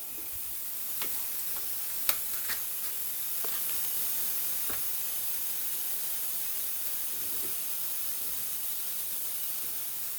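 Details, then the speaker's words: Refilling an empty 1 lb propane cylinder from a 20 lb tank held upside down for liquid transfer: soft, steady gas hiss with a few small clicks, no pulsing; normal propane transfer. "not basically it's it's still hissing so i'm going to leave it now this tank was completely empty so it's still hissing"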